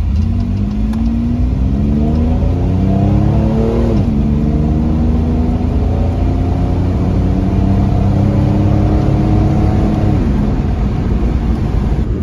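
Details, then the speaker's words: 1997 Chevrolet Camaro RS 3.8 L V6 after replacing cracked cylinder 5 coil pack, 0 to 60 up a hill: engine pulls smoothly, pitch climbing and dropping at shifts near 4 and 10 seconds, no stumbles; normal acceleration. "all right here we go moment of truth yes no more misfire yeah buddy all right 0 to 60 up a hill here we go"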